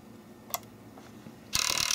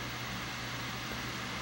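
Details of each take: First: Nintendo Wii disc drive that kept ejecting discs, case off and powered on: two harsh, high-pitched grinding bursts from the small loading gear mechanism, disc not spinning or pulling fully in; drive later replaced. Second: Wii after its constantly ejecting disc drive was replaced with a new drive: quiet, even whir with a faint steady hum and no clicking or scraping, much quieter than before; the drive runs healthy.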